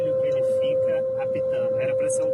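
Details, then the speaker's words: Volvo 100% electric car, new, driven daily: a steady, unbroken high beep sounds continuously because the reverse parking sensor is stuck on from delivery. Continuous parking sensor beeping. "o pesadelo que eu estou vivendo é ter que dirigir todos os dias com o carro apitando."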